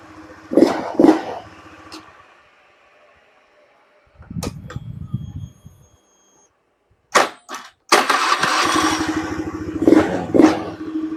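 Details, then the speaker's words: Honda Beat (carburettor or first-gen FI) after re-centring a badly wobbling crankshaft that had caused rough, weak starting: starter now cranks strongly in quick, even bursts despite a weak dynamo; normal starter cranking after repair. "starter kuat ini pak padahal dinamo lemah ya teman-teman tapi masih bisa muutar"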